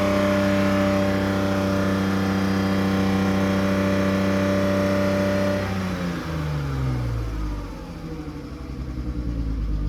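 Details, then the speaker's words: Car with newly fitted welded exhaust line held at about 4000 rpm in an enclosed, echoing room (86.3 dB measured), then dropping back toward idle: clean even drone, no rattles or blowing; exhaust healthy. "T'étais à combien là? 4000 tours. À 4000 tours, dans une zone fermée, t'es à 86,3."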